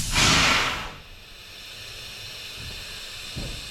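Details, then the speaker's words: Peterbilt truck on temporary air supply after cleaning rust from valve seat, trailer valve, brakes applied after full charge: strong under-second hiss of air cutting off cleanly; line bleeding off normally as designed. "Brakes are on, and that's just bleeding off what's in the line, which is what it's meant to do."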